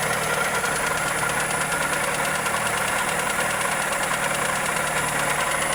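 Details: Toyota Corolla EE90 with 2E engine at steady idle: fast, even ticking knock riding over the engine note; valvetrain or connecting rod suspected, source not confirmed.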